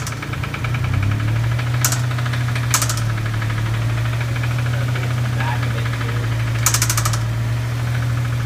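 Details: Dodge Stealth engine: rough idle with an uneven knock underneath and sharp metallic tick bursts, with a bad crank noise. Oil pressure reads really high and it is smoking again. Owner suspects an engine knock plus a bent valve tick, not confirmed.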